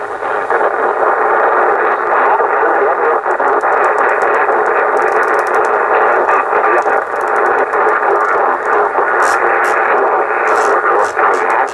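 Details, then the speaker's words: Yaesu FT-747 transceiver after no-receive repair, on lower sideband 40 meters: constant hiss with muffled, garbled voices that never tune in, while AM receives fine; distorted SSB reception, cause undetermined. "I've got just a lot of noise that I can hear talking, like it sounds like, you know, it almost sounds like you're on AM listening, but we're definitely on we're on lower sideband 40 meters."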